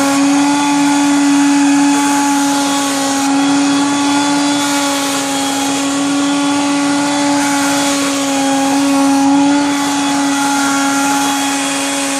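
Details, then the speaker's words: Genie Jet Vac 10-gallon heavy-duty wet/dry shop vacuum running at constant speed: steady high motor whine with faint rough rattle inside the motor, cause unknown, to be found on disassembly; motor rattle. "And as you could hear that rattling in the motor, I'm not sure what that is. I guess I'm going to have to find out myself when I take it apart to clean the motor area out."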